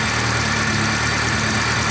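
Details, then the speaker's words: VAZ 2.0-litre engine, hot idle with oil pressure gauge fitted and pressure dropping toward limit: faint quick light "tuk-tuk-tuk" ticking from one corner of the head over steady idle; suspected hydraulic lifter ticking when hot. "И снова раздается тихий звук «тук-тук-тук» . Но, чёрт возьми, неужели гидравлический толкатель может стучать на горячем двигателе"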